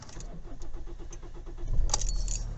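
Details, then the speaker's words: Kia diesel after the glow plug light goes off, clutch down: the starter churns in steady beats for well over a second before it fires; slow to start, suspected from a corrosion air leak at a metal fuel connector. "started there that's a little bit longer than normal"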